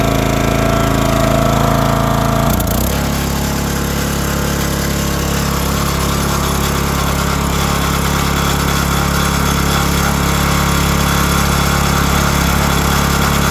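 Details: 2022 Oregon 3000 log splitter, 6.5 HP Kohler, about 20 hours, that wouldn't start or stay running; after unplugging the sensor, fuel on: brief crank, then it catches and settles into a steady, even run; fixed.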